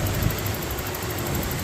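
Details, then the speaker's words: 1994 Toyota pickup V6 (142 original miles), restarted to confirm the repair after the distributor was fixed and the coil, plugs and wires replaced: low, smooth, even idle rumble with no ticks, misses or surging; runs nice and even. "Así es como ha quedado vamos a apagar y prender nuevamente para estar seguro ahí como ven así es como ha quedado el motorcito pero bien parejito"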